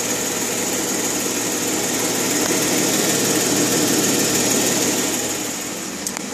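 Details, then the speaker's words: 2012 Jeep Wrangler JK Unlimited Rubicon, 3.6 Pentastar petrol V6, at idle with a light regular ticking about four a second. Recorded through the wheel well; louder in the engine compartment. Dealers haven't fixed it. "My Jeep JK with a ticking noise coming from the engine. Here it is through the wheel well, as you can hear."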